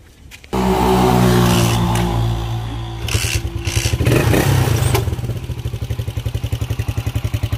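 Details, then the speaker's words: Motorcycle that bogs at 6,000–7,000 rpm and stalls: won't start on the battery, but a kick start catches it, then it runs rough at about three to four pulses a second. Hard starting, weak spark suspected. "la batería es imposible prender pero prende la patada ahí pero algo de chispa tiene que ver"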